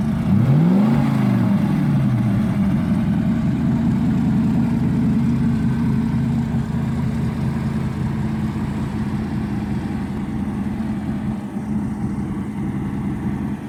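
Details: Restored 1975 Lamborghini Urraco P250, mid-mounted 2.5-litre single overhead cam belt-driven engine; starter whirr, catches with a rising rev and settles into a smooth, even idle, no knocks or misses; normal start-up.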